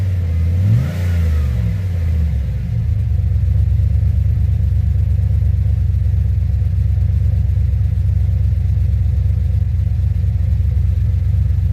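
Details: 2007 GXP with Sloppy Stage 3 cam, VATS and DOD deleted via HP Tuners, first start-up after retightening loose front rockers: quick throttle blips then deep lumpy idle, no popping or ticking; loose-rocker popping fixed, healthy engine.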